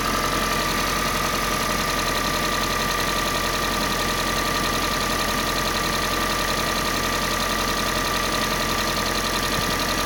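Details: Kia Sportage 3, G4NA engine on Total 5W30 oil: steady idle with a faint repeating tap, roughly two a second; engine knock at idle, source not yet pinned down.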